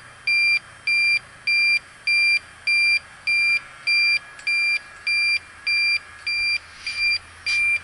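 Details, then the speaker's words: York rooftop unit, soap bubbles found nothing: electronic leak detector probe on the evaporator coil gives shrill beeps, steady at nearly two per second, detecting a refrigerant leak there. "Well, it's leaking there. That was a pretty cool little thing."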